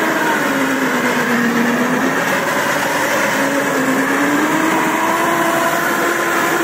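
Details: Samurai rotary mower, 1.40 m cut, hydraulic cylinder removed, run in third speed with high rotor rpm: loud, steady mid-pitched hum drifting slightly with speed, no knocking or grinding; the chain drive's noise is normal and harmless.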